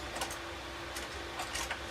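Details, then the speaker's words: Yora 3018-Pro CNC converted to 3036 with expansion kit: irregular light ticking and squeaky bursts as axis moves, anti-backlash nut possibly threaded in too far with spring tension too tight on lead screw; anti-backlash nut squeak. "yeah you can already hear the squeaking so this backlash not maybe in too far we'll see"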